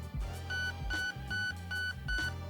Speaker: that'll give you five beeps which is going to be 100% of your trigger sensitivity which is allowing you to pull the trigger almost all the way to the rear in order to fire